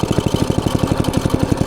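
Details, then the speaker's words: Log splitter small single-cylinder engine, running on choke and smoking: steady fast thump at fixed speed, no throttle response, dies off choke; throttle cable was left disconnected. "oh I know what happened I forgot to connect the throttle cable give me a minute how dumb"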